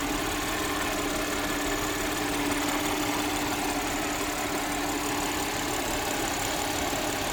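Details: Audi 3.0 TFSI V6 with codes P0133 and P0136 for bank 1 oxygen sensors and a failed catalytic converter: steady, even idle with a smooth low hum, no knocking, hissing or ticking; normal idle.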